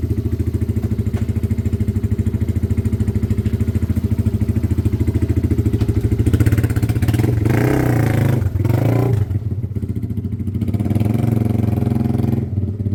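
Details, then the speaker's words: Weathered motorcycle from Wales on a quick test ride: steady, even low thump through a brief rev and back to idle, no knocks or rattles; runs spot on and needs nothing. "Yeah. Spot on. That is a quick flip. Nothing. Needs nothing."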